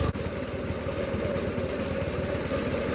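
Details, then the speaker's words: Oliver Super 66 tractor with 155 cu in Waukesha gasoline four-cylinder after valve adjustment: slow, steady idle, much smoother, slight stutter owner attributes to untuned state; blue haze unexplained; normal idle. "okay this thing runs a lot smoother at idle yeah it still stutters but that's because I don't have a tuned right I don't think"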